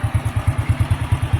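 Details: 28-year-old Honda Astrea single-cylinder collection bike with an old, weak battery that makes the starter sound heavy: a steady, even putter at about nine beats a second. Normal, healthy idle.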